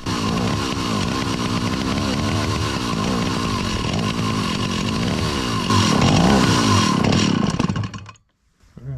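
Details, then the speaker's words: 43-year-old Stihl 028 Wood Boss two-stroke chainsaw, after adjusting the high and low speed screws, revs unevenly with the throttle held by hand, then dies abruptly. It won't hold idle because the idle adjustment screw is missing; a fuel pump diaphragm problem is also suspected. "I still couldn't get it to run it would not throttle up and I had to constantly have my hand on the throttle itself or it would immediately stall"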